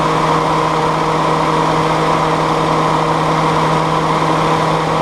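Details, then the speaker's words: Willys CJ2A jeep, rebuilt L134 Go Devil four-cylinder, warm (exhaust about 200, head 140, hoses about 115-118): smooth even running with steady hum, no knocks or misses; runs healthy. "I'm probably just gun shy at this point with everything that's happened but I'm pleased that it runs"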